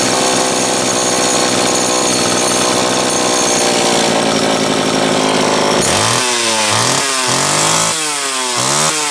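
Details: Homelite Super XL chainsaw, serviced starter, carburetor and fuel cap, new spark plug and rim sprocket, cold start after nearly two weeks unused: bright, even two-stroke buzz at high revs with crisp rev blips; runs healthy.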